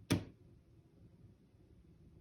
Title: Loud popping, knocking noise coming from inside my bedroom wall. Apartment w/upstairs neighbor. HELP